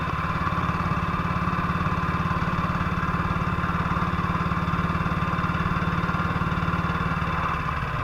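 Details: 1958 BSA C12 single on a road test after its misfire was fixed: an even, steady thump at a constant pace with no stumbles or missed beats. It is firing cleanly and sounds like it used to.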